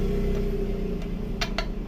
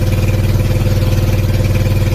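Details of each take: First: Sanchin steam cleaner pump being repaired: sharp, uneven clicks over a low hum as the shaft turns; bearing found destroyed and crumbling, causing the engine knocking, removed for replacement. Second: Sanchin 30 steam sprayer pump after repair: it had loud knocking, suspected bearing or piston rod play, and was refilled with about half a litre of oil to submerge the crankshaft. It now drones steadily and evenly with no knocking.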